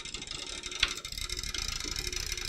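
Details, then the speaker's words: Rebuilt, shipping-damaged server PC at first power-on: fast papery ticking rattle over the fan's steady hiss as a loose cable strikes the fan blades; fix is to secure it with cable ties. "Something doesn't sound good. Oh, we got a I got a cable hitting the fan."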